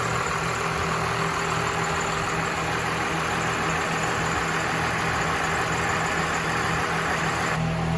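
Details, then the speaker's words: 1979 Ford F250 with compound twin turbo Cummins 6BT swap, four-speed transmission; loud steady diesel idle, even unbroken rumble with no knocking or hunting, healthy-running engine. "Judd you just gotta love that sound this is uh this one is is extremely peppy"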